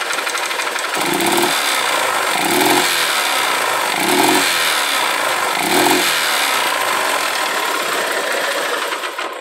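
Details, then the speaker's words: Honda Titan 150 motorcycle, smoking slightly, also with engine noises: blipped about four times, it stumbles and coughs each time, refusing to build revs; misfire under acceleration, mechanic suspects ignition timing off, spark plug shows rich mixture, not confirmed. "então a parte de cima já é certo que tem que fazer e essa essa trupicada que ela dá aí ó ela não não desenvolve não"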